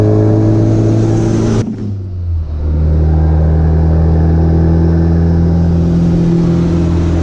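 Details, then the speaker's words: B3000 with new Cummins turbo diesel swap, driven gently: deep steady diesel drone pulling evenly under load after gear change, no knocks or misses; turbo whistle noted, healthy. "it sounds really good it's got a nice whistle to it"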